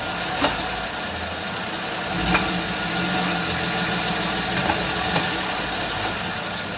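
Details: Suzuki Grand Vitara at steady idle with sharp clicks at irregular intervals a second or two apart; clicking noise of unclear source.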